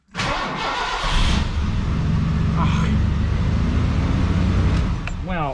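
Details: 1986 Mercury Cougar 3.8L with intermittent no-start, fuel pump not kicking on, fuel relay replaced, inertial switch suspected: short crank, catches quickly, settles into steady idle; this time it starts, fault not showing.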